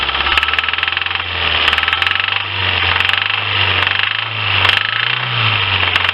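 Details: Lifan car engine at idle with a sharp, repeating metallic knock. Acoustic stethoscope diagnosis places it in cylinders 2–3, with no extra smoke. Oily plug deposits suggest stuck piston rings letting oil into the cylinders; cause unconfirmed.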